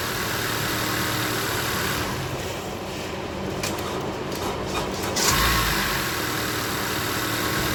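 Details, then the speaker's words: Honda CR-V with weak battery of unknown age: starter drags slow and laboured before the engine finally catches, dash lights dim; battery too weak to crank properly. "So the lights are kind of faded, kind of dim, but it starts up though, which is pretty fascinating."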